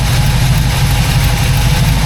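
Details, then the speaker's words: 1979 Pontiac Firebird Formula V8 with a lumpy cam, idling warm at about 800 rpm: a faint puffing tick on the exhaust note from an exhaust leak on one side, probably in the middle. "Got an exhaust leak on this side for sure. Yeah, I can hear it coming from like right in here. Can you hear that? There is an exhaust leak here. Definitely hear it."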